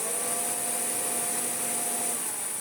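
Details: Hoover Turbopower 2 vacuum cleaner first power-up, post-motor filter carbon-dusted but not smelling burnt: thin high whine over a low lazy hum, brush roll turning; motor running slow and abnormal, later replaced entirely.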